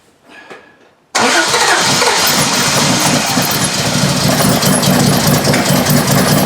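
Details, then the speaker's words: 1968 Triumph TR250, first start after restoration, Weber idle mixture screws backed out two and a half turns: loud steady starter grind for five seconds without catching; cranks but no start, carb setup suspected. "hopefully that'll get us a little bit closer to where we need to be to start at least"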